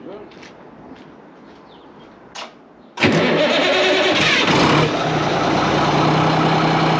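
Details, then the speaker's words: ERF EC11 lorry diesel, just MOT-passed, cranked and set on fast tick-over to warm through for about an hour in the yard; catches after a moment, steady even fast idle with no knocks or misses; normal fast idle, sounds good. "Sweet. That's just sitting running on fast tick over. That sounds good, that."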